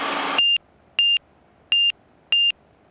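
Paired high beeps repeat steadily about every 0.6 seconds on a quiet background; the angle-of-attack stall warning is sounding in slow flight.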